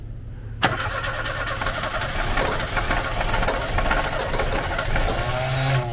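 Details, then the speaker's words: Opel Kadett newly fitted with an old FuelTech RacePRO-1Fi programmable injection, Chevrolet engine: cranks steadily about five seconds without catching; too much starting fuel floods it, start injection being cut. "I think it's mostly on the start Because he's kind of only on the start up now Now it should work if you removed fuel"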